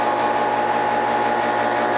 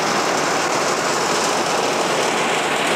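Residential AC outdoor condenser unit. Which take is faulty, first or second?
first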